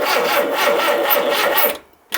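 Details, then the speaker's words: Mini Cooper barn find parked for years, started with fuel tipped into the carb: rough strained running with a thin wavering squeal and fan belt smoke from the belt slipping over a pulley; water pump free, alternator seized solid. "Right, I've pulled that off. The water pump is free. The alternator is seized. Right. So that's what it is."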